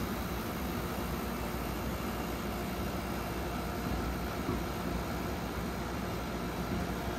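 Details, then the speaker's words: Vintage room air conditioner after its first compressor swap to a Matsushita unit with a new filter drier, likely slightly overcharged; steady compressor drone with coarse buzzy rattle, yet runs and cools; worn compressor mounts. "As you can hear, those compressor mounts are in very sorry shape. But it runs and it gets cold."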